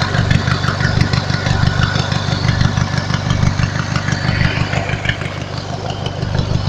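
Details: Lawnmower engine fitted with an add-on alternator under load: uneven idle with a throbbing low beat about three per second and some irregular knocks; owner mentions a weird noise, cause unknown.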